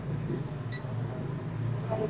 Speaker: अगर diode shirt होगा तो तुरंत बीप की आवाज देता है चलिए पुराना ब्रिज रेक्टिफायर हम लोग चेक करते हैं आप लोग देखिए इसको देखिए य शट है यानी किय खराब